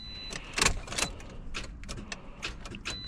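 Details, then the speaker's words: 2013 Toyota Corolla no-crank with a recently replaced starter: sharp single solenoid clicks at irregular intervals with no cranking and the engine silent; starter not getting enough current through a bad battery terminal cable. "I hear the starter clicking. Yeah, the solenoid is definitely clicking. That means we're getting power to the solenoid."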